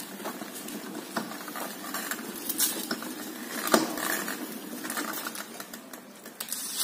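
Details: Scooter with the engine off and warm, being pushed by hand. Irregular light ticks, clicks and scraping come and go as it rolls. The owner suspects the clutch, unconfirmed.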